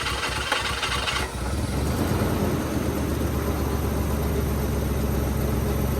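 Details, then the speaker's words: Nissan Hardbody pickup, 185,000 on odometer, long-parked auction truck started on fresh gas and a hot battery: rough catch at start, then settles into a steady, even low rumble with no knocks or misses; healthy idle. "well it took a little bit but she finally hit off sounds pretty good too I hadn't heard it running since I got it"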